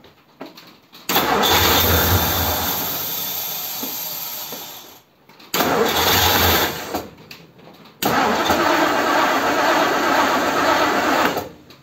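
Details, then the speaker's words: 1957 Ford Thunderbird with original carburettor float and metering plate refitted, key start attempt: three bursts of steady cranking with no firing; cranks but won't start. Owner suspects a lean condition, unconfirmed. "no that's a shame cuz it did it a minute ago give it one squirt which which might indicate a lean condition you can hear it coming and going can't you"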